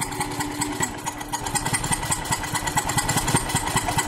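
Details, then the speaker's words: 1999 BMW E46 323i, M52TU engine, idling with the number two cylinder spark plug blown out of the aluminum head, threads stripped: rough idle with sharp puffing tick each turn through the empty plug hole; possible backfires; misfire. "i don't know what the popping sounds are it might be backfires at least i'm hoping that's what they"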